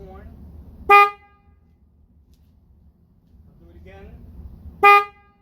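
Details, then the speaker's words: Toyota Tacoma horn after swapping in two sets of dual high- and low-tone horns from a 2007 Cadillac DTS, replacing the weak high-pitched factory horn: two short, loud, full chord-like blasts with crisp cutoff, louder than before; normal horn. "i got this might be a little loud but anyway definitely louder than before"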